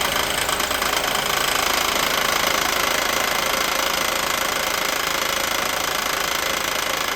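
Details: 1988 Mercedes 560 SEC (W126) at idle: a steady, sharp, internal engine knock of about three per second that grows louder until the engine is shut off; the cause is not yet found.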